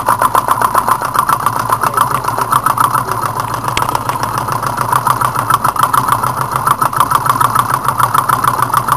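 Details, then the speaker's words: Small alcohol-fired Stirling engine with brass piston: quick uneven ticking about three a second over a light hum as the displacer rod catches and rubs each stroke; leveling helps slightly, owner considering a new displacer rod; displacer rod rubbing. "got a little bit of resistance on the uh displacer Rod you can hear it rubbing level helps out a little [Laughter] bit"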